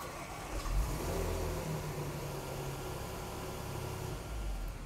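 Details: 2014 Range Rover Supercharged 3.0 with intermittent crank/no-start and start-stall, a module showing communication not OK: starter cranks briefly, engine catches cleanly and settles into an even idle with no stumble or stall; starting normally this time.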